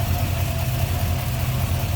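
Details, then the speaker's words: 1963 Chevrolet Nova 2-door hardtop, 350 V8 with Edelbrock Performer RPM intake, Holley carb, HEI ignition and headers, hood open: a smooth, steady low rumble with no knocks, ticks or misses, a normal idle. "There's that 350 V8. Fan shroud intact. Smooth running, sounds good."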